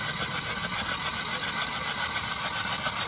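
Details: Hyundai i20 flood-damaged engine, hydrolocked, won't start: fast, even starter whirr with no firing, three to four beats a second, cranked with spark plugs removed to clear water; hydrolocked engine.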